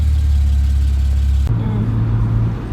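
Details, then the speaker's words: BMW E91 335i wagon N54 engine, cold start not yet warm, after misfire diagnosis (swapping parts to follow problem cylinder) and codes cleared: single rev rises and falls cleanly, settles to even idle, misfire gone. "all right so the car is out of code start not warm yet but we can give it a little Rev [Music] and you can hear the misfire is not there"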